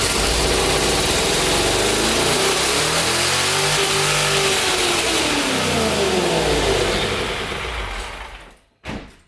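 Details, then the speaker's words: LS V8 swapped Nissan 350Z, first start, VATS deleted, MAF failed to speed density: revs climb and hang well above normal idle before sagging and shutting off; vacuum leak from intake ports, brake booster and fuel pressure regulator lines left open. "well it's probably not good revved a little high there well ladies and gentlemen that's what happens when you forget that you have every vacuum port on the intake open side the brake booster line this one here and the one for the fuel pressure regulator we're open"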